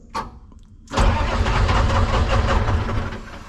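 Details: Lull telehandler with Detroit Diesel 3-53 two-stroke, after fitting a proper negative cable to the starter: a brief click, then strong steady cranking with even low chugging; normal starter cranking.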